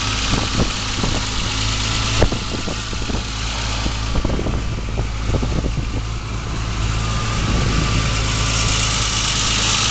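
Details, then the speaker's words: BMW M635 engine, very original, no visible oil leaks, heard from the rear exhaust: smooth, even low rumble with steady beat, no knocks or ticks; healthy idle. "so we'll do also that blip come around and see if we can't uh hear that beautiful M sound coming out of the rear here let's get around up here uh what a great sound"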